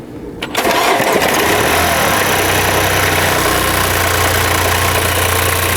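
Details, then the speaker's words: Mini Countryman three-cylinder, 73,000 km, at idle: busy uneven rattle from the crank damper pulley, whose rubber has separated so it wobbles with play. Previously misjudged as engine noise. Alternator also not charging. "지금 댐퍼플리가 얘는 이렇게 그 고무 부분이 떨어져서 돌아갈 때 짜짝 소리 나잖아요."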